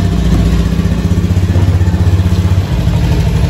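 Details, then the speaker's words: Honda Beat FI scooter after repair: idles evenly with a low steady thrum, the former grinding from the final drive gone once the drive shaft bearing and pulley were replaced. "tidak ada suara ngorok lagi ini mohon maaf ini yang geder ini eh apa platformer coba saya pegangin ya nah sudah tidak terdengar suaraok lagi ini"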